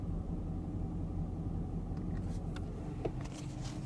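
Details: 2017 Camaro: light pops and clicks over a steady cabin rumble as the HVAC recirculation actuator door moves.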